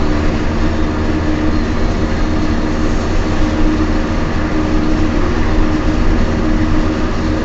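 A steady low drone persists while driving with no rhythm of its own, consistent with worn wheel bearings humming under the car.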